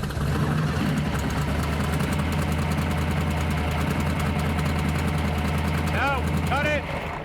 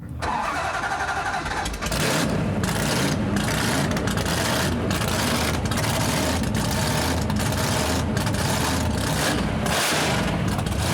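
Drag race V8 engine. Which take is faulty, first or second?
first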